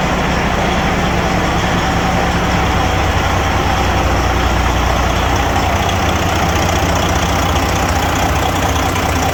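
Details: Detroit Series 60 14L semi truck on first start after a DIY in-frame rebuild, with white smoke (owner suspects injectors or overhead): deep, steady idle with an even clatter of about two and a half beats a second, no knocks; normal idle.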